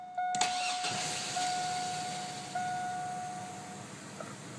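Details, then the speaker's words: 2001 Chevy Blazer 4.3L Vortec, after new plugs, wires, cap, rotor, fuel filter and spider injector: quick crank, clean catch, even idle about 500–525 rpm, misfire gone; it still bogs at 1500 rpm under throttle: normal start and idle. "no more misfire starts good idoling at about 500 525"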